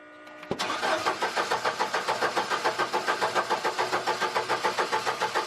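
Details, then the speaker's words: Upright AB62RT boom lift that sat unused over a year: steady starter cranking at about three and a half beats a second, fuel pump heard running, never catches apart from a slight puff; crank no start, suspected bad fuel. "nothing okay function unable maybe that sucks let's stop let's try again Oh starting to go there did you hear that it's probably bad fuel I heard a little bit of a puff"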